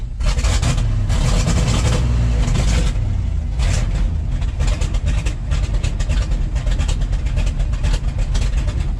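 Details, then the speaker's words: 1969 Ford F-250 Highboy with a tired 360 engine and a 2-barrel Holley carburetor, after an exhaust change; a deep, lumpy idle with an uneven loping beat, running super rich with black smoke. Rough idle, improved but still off; the owner suspects the timing is way off. "Still not idling just quite right. Kind of wonder if the timing is way off. It is idling better than it was."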